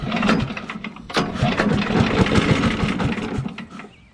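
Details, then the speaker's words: Grandpa's WWII aircraft generator welding machine, long-sat engine with a new Champion plug and oiled cylinder, fed gas: rapid uneven firing catches and settles into a steady mid-pitched chug of about three beats a second. It starts and runs. "this thing's gonna run"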